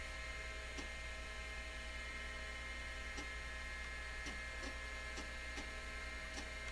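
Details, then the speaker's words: Amstrad PC1512 booting DOS: the old hard drive gives a steady low hum, thin high whine and irregular ticks, vibrating so heavily the table shakes; it is not detected. "there's a lot of vibration coming off that hard drive my entire table's shaking"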